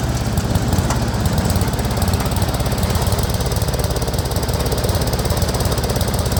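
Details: Speedex 1630 garden tractor, single-cylinder engine on a new carburetor and the reused old head gasket: a deep, loose chugging at about three beats a second, running rough; the cause is not confirmed.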